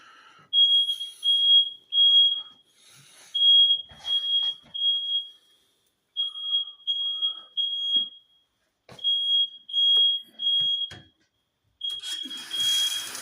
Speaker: So now the nitwit neighbors are setting off the smoke alarms in the hallways, as you can hear. That's outside my apartment. Only in the hallways.